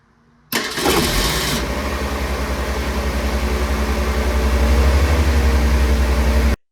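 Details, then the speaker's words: Ford Pinto started for first time in 11 years after new solenoid, starter, coil, plugs, wires, cap and rotor and mixture adjustment: cranks, catches quickly and settles into a steady, even idle; healthy start and run. "Sounded great. So I'll play you a little clip here. The car starting and running."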